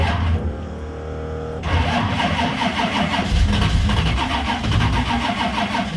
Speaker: Yeah, I'd land it at about 850. It's too low. So just that air fuel.